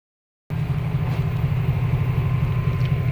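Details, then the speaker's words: LG top-load inverter automatic washing machine after deep cleaning of heavy dirt buildup: steady low hum with an even churning rhythm, no scraping or rattles; now running quietly and normally. "ito, tahimik na siya."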